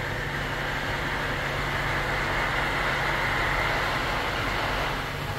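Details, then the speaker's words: Honda Element manual transmission after topping up the one litre of oil it was missing, fifth gear without throttle: steady road roar with a constant high whine on top, first four gears fine; gearbox worn. "los primeros cuatro todo bien pero quinta Ahí está quinta no estoy acelerando un poco y se escucha feo feo esa transmisión"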